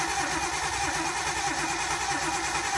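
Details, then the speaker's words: Nissan 240SX with RB engine, stock ECU, no mass air flow sensor, cam angle sensor checked: steady fast cranking about three seconds, never fires; ignition feed wire getting no power. "I need to see if this gets power. No. Okay, now crank it."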